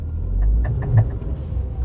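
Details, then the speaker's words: Tata Tiago, customer complains of clatter when steering is turned left and right: quick run of sharp ticks about six a second over low engine rumble at full right lock. Worn outer CV joint clicking. "டக்கு டக்கு டக்கு டக்கு டக்கு டக்கு வருதுங்களா? So ரைட்ல ஃபுல்லா உடைச்சா வருது."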